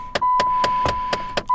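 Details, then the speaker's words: 2014 Dodge Avenger, ignition on with engine off; quick even clicks about four per second over a chime tone from the known faulty, not yet replaced air blend door actuators hunting. "So just ignore the air door actuator clicking sound. Sorry about that."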